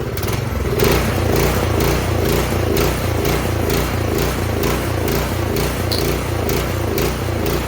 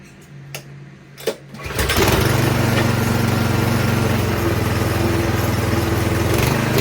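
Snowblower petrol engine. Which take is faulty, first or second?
first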